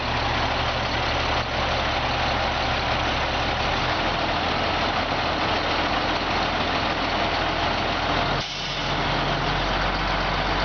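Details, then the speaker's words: 1998/1999 Freightliner FL80 diesel grain truck: steady raised idle at 1,000 rpm with an even drone, no surging or bogging, while the 60,000 lb dump hoist lifts smoothly without jerking; healthy. "And as you can see, at 1,000 RPMs, it comes up at a very nice smooth. There's no jerking, no hesitation."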